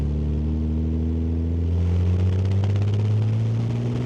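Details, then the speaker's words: Restored 1971 Jaguar E-Type Series 2 with a 4.2L inline-six and 4-speed manual, fitted with a new water pump and a fixed exhaust leak. Accelerating from second gear, with a smooth, even pull climbing cleanly and no knocks or misses. The engine is healthy. "Engine runs great. No unusual suspension noises, everything seems to be working well."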